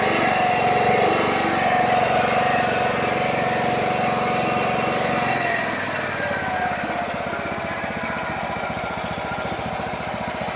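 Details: Toro Wheel Horse 212-5 lawn tractor, sat nearly 10 years, cold start on choke with fresh fuel and a fuel filter: catches and settles into an even putter about four beats a second. Running normally.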